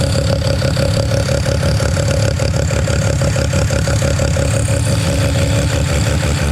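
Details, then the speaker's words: Mazda 13B rotary on EMPI IDA carburetor, after replacing the fuel regulator that wasn't holding pressure: regulator set from about 2 to 3.5 PSI while running and holding steady; loud, even burble at idle, quick steady pulse, no stumble. Normal idle. "okay so uh that fuel rig's all good now um it's holding really steady pressure around 3 and 1/2 PSI so aiming for 3 and 1/2 to four pair size set it at 3 and 1/2 so seems to be holding their um spot on no issues while the car is running"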